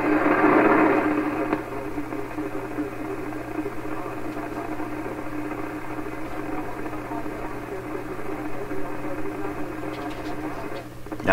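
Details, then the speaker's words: 1928 RCA Victor Model 28V radio before final tune-up, on a piece-of-wire antenna indoors: steady hiss and static over a low hum with barely any station; the wire picks up much noise and little signal, longer outdoor antenna expected to help. "this wire is really full of noise without a lot of radio signal and that's exactly what you're hearing here a lot of noise not much radio"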